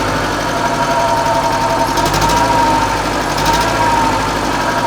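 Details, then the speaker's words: Żuk engine first started after rebuilt head (damaged exhaust valve seat on cylinder 4, bent pushrods): rough, lopsided idle with uneven stumbling, not running on all cylinders; misfire suspected to be ignition related. "still not running on all but I think it's ignition related"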